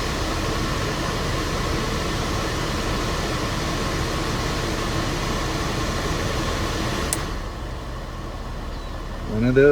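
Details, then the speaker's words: 1992 Mercedes-Benz 300E (W124) climate control with an intermittent fault where the A/C and blower quit, hot air blasts from all vents and the recirculation light flashes. Here the cabin blower rushes steadily, then eases as it starts cooling again; normal blower operation. "let's go check out yeah that's starting to cool again so"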